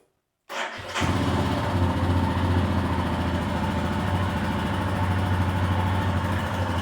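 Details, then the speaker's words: Royal Enfield Himalayan 411, rebuilt with Hitchcock valves, just over 10,000 km since, valves never needing adjustment, hand over exhaust: fires and settles to even single-cylinder thump, no ticking or rattle; healthy idle. "So, people say Himalayans rattle, that's how they all do. Load of crap, innit, eh? This don't rattle at all."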